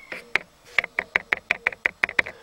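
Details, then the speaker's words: Dacia Logan plastic door pillar trim, right side not yet sound-insulated: about eleven sharp hollow clacks in two seconds when lightly tapped; loose plastic trim cap rattling loudly against the pillar. "comparativ cu stâlpul din partea dreaptă care dacă încep să bat în el se aude Nici nu trebuie să dau tare și se aude ce gălăgie face"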